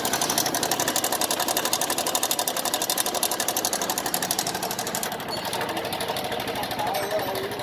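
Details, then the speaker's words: TVS Star Sport motorcycle, engine sound problem: a quick, even tick about four times a second over a thin engine note. Abnormal engine ticking, which was fixed later by a repair. "Hello guys, ये टीवीएस की star sports VS4 model. इस गाड़ी में साउंड की प्रॉब्लम है।"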